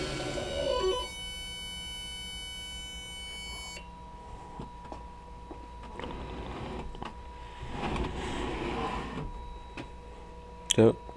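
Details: Homemade 454 belt grinder, 10in drive, 18in contact, 6in tracking wheels, 2 hp motor on AC Tech Lenze MC1000 VFD with DC injection braking: high drive whine holds, cuts near four seconds as braking stops wheels, quiet rumble remains; normal stop.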